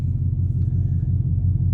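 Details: 2003 Chevy Silverado 6.0L V8, tuned on 93 octane, near straight pipe with stock headers, idling after throttle body/TPS replacement and coolant bypass fix: smooth deep steady rumble, no surging or shake; healthy idle.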